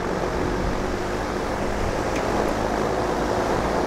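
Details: DeWalt 24-inch heavy-duty drum shop fan (6500 CFM) turned all the way up: steady, even rush of air with no ticking, rubbing or wobble; running smoothly at top speed.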